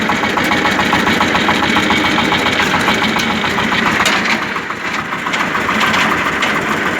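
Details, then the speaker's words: Tractor, engine running with the PTO engaged: repeated knocking of about three beats a second from inside the gearbox. Belts ruled out and the driveshaft turns freely by hand; gearbox cause suspected, not confirmed. "Ось ось, слухайте. І це не від ремнів іде. Я до ремнів підходив, ремні зовсім не так б'ють. І вони не б'ють. Це іменно в коробці щось."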